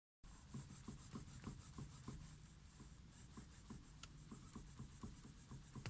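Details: 2012 Ford Mondeo 4 2.3, cabin: soft repeated creaks and light knocks about two per second when turning the steering wheel, with engine running and off; steering creak and knock, cause unknown.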